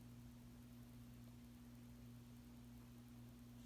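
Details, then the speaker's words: 52-inch oil bronze Harbor Breeze Caratuk River ceiling fan with gazebo light kit, on low speed just after start-up: steady unwavering low electrical motor hum; fan hums a lot, some vibration issues, not too bad. "As you can tell, this fan hums a lot. This fan's definitely got some vibration issues for sure. It's not too bad though."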